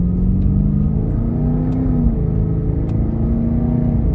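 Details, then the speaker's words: Cadillac STS at hard throttle after replacing the factory coil packs and spark plugs: strong, smooth pull with a clean rising engine note and no misfire stumble; sounds much better, ignition healthy, normal acceleration. "You can hear it, man. Oh my God, does this thing sound so much better."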